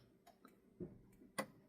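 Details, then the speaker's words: Dometic 3-way caravan refrigerator after main controller repair for ignition failure, gas mode: sharp dry igniter clicks about three a second from the back, burner lights at once and stays lit. "Then, if you press it and go into gas mode, you'll hear a clicking sound from the back, and then it'll light up with a clicking"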